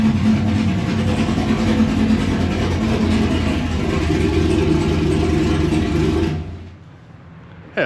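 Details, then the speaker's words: V8 with a small blower cam after a flash tune, push-button start: deep slightly lumpy idle with an even beat and clean revs before shutdown; runs smooth and healthy. "a little quieter but uh yeah know it runs good sounds good so customer should be really happy"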